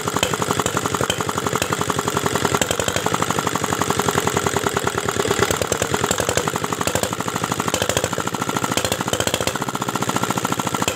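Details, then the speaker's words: R175 single-cylinder diesel after owner-disassembled repair with shattered crankshaft bearing balls found, air bled from fuel; adjustment cannot smooth it, hard rapid ragged knocking, no steady throttle response, slight smoke from crank opening; uneven running with knock. "jadi ternyata sudah tidak bisa lagi ya disetel suaranya nih sobat diesel nah ini hasilnya jadi seperti ini nih tidak enak sekali ya suaranya tidak ada gas kontannya kemudian suaranya tidak rata"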